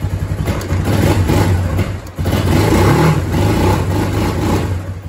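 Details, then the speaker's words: Kawasaki Bayou 250 ATV after a carburetor replacement, cold, on choke with old fuel still in it: single-cylinder revs and drops back cleanly with a crisp exhaust note; idle may need a slight bump. "still with the choke on may have to bump the idle up just a touch maybe we'll see"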